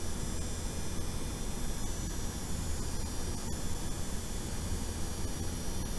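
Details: RTX 4090 coil whine compared on Gigabyte Gaming OC (fans ~900 rpm) and MSI Suprim Liquid X (fans ~1200 rpm) at varying frame rate, audio strongly amplified: thin steady high-pitched whine over fan hiss, with no mechanical rhythm.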